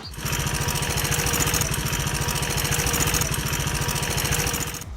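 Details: KTM Duke 200 single-cylinder motorcycle idling: busy metallic ticking and rattling clatter over the exhaust thump, caused by a faulty cam chain tensioner not keeping the timing chain tight; fixed by replacing the tensioner.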